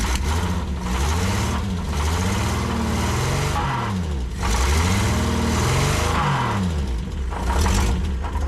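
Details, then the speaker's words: Prewar Austin/Crosley single-seater race car engine revving up and down with a rough knock that clears at higher revs; not bottom end or pistons, loose torque converter bolts suspected. "Our railway is not bottom end and it's not pistons because it goes away when you rub it."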